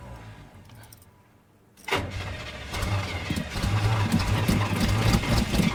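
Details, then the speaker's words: Chevrolet Suburban (rings said to be shot) after its wiring was reconnected: quiet at first, then steady cranking at about four beats a second and the engine never catches. Crank, no start; the owner plans new battery terminals and to recheck the distributor. "Ah. Yep. Well, that's not working."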